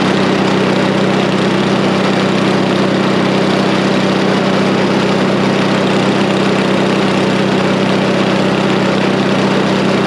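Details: Snapper I 422 snowblower engine after carburetor revival (suspected bad gasoline): small engine chugs evenly at idle, about four beats a second, no missing or hunting; confident normal idle.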